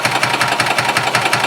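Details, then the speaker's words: Gas Yamaha golf cart (title: 1991 G8) that runs two or three minutes, slowly throttles down and dies: cranking at about five to six even chugs a second, never catching; crank no-start as the failed fuel pump delivers no fuel, before a carb clean and new pump. "so let's manually Prem the fuel system so we don't drain the battery down"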